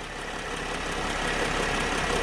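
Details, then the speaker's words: 2010 Mercedes Sprinter diesel, cold idle before warm-up: steady, even diesel clatter with no misses or surges, though a slight out-of-ordinary ticking is heard from one side; otherwise idling fine. "it sounds okay to me I do hear a little ticking over here like that sounds a little bit out of the ordinary"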